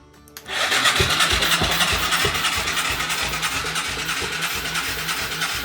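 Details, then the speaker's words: Moto 4 quad being restored, engine cranked: starter spins fast and light, about three even pulses a second; compression lost after burning oil off rings, heard in exhaust; new rings needed. "No good. Compression's too light. You could hear it in the exhaust."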